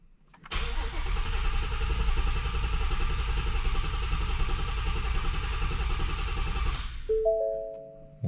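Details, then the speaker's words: Shelby GT350 after oil pump gear upgrade and Gen 5 Whipple supercharger install, tune loaded: pedal floored, cranked dry to prime oil; steady low churning crank about six seconds without firing; cranking without starting. "Now I believe I have to put the pedal to the floor and crank it like 5-6 times just so it primes the oil, because remember I did take the front cover off and replace the oil pump gear, so everything is dry at the moment."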